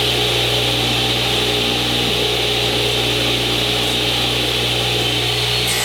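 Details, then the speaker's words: Newly installed Original Saw model 3512 radial arm saw on a 50 A circuit, cutting wood: a steady motor hum holds its pitch while the blade hisses through, with no bogging; the saw cuts normally under load. "Sounds good. Doesn't seem to want to bog down at all."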